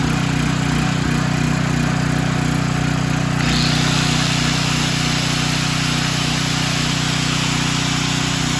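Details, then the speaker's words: Storm Responder generator with Nikki carburetor, being warmed up after carburetor float/needle work that had been letting fuel spill and with the spark plug refitted: steady, even drone with a smooth low hum, no misses or surging; normal running. "okay and we're back it's fired up"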